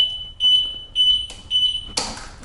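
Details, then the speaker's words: Pride Zero Turn 10 (ZT10) mobility scooter tiller beeping eight times, about two beeps a second: a motor cable unplugged under the batteries; reconnecting it and cycling the power clears the fault. "so one of these comes unplugged let's say this one and then I attempt to drag the scooter I'm going to get an eight flash code and then the scooter won't drive"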